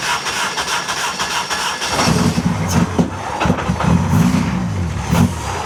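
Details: Honda K24 engine first start after adding 2–3 litres of fuel, custom exhaust fitted: steady cranking chatter for two seconds, then it catches into an uneven lumpy run that steadies toward idle; a normal first start.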